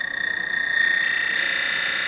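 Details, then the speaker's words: DF64V V2 grinder with SSP High Uniformity burrs being zeroed at 1800 rpm: motor whine with a shrill pulsing chirp climbing in over about a second as the burrs touch, true burr rub (shimming), unlike the normal lower-burr settling sound. "Now that is burrs shimming. This is your burrs shimming."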